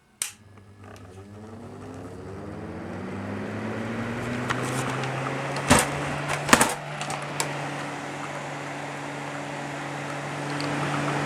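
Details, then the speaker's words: Vintage 6-inch loft extractor fan, shutters previously a bit squeaky: click as iris shutters open, motor hums up to speed then holds one steady tone with a few stray clicks; smooth running, owner notes occasional speed ramping. "smooth running. These things actually suck a lot more air than you think for a 6- in extractor."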